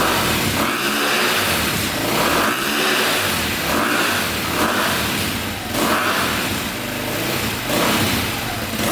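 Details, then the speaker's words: 2002 KTM 400 EXC single revved in neutral climbs but breaks up near the top, like hitting rev limiter too early, bogging and misfiring; looks black; cause traced to incorrect carburetor jetting. "sounds like it's revving out all the way in neutral you can hear it kind of break up there but uh we'll go test drive it and see what it sounds like"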